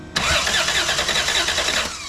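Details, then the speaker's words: 1990 Toyota 4Runner with a no-crank fault (key only clicks), cranked via a remote jumper from the battery to the starter signal wire: strong, even cranking for about two seconds, then a clean release. Starter healthy. "it cranks and you can hear the starter engage and you can hear it disengage so it's not hanging up on the flywheel or the flex plate"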